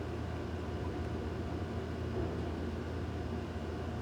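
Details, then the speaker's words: 2012 Ford Expedition after no-crank no-start with blinking security light and U0100/U0101 codes; blown fuse fixed and damaged gear wiring repaired, engine now starts and idles smoothly, no knocks, misses or squeals. "Gear کی wiring repair کرنے کے بعد پھر ہم گاڑی start کرتے ہیں، تو ہماری گاڑی سٹارٹ ہو گئی ہے جی۔"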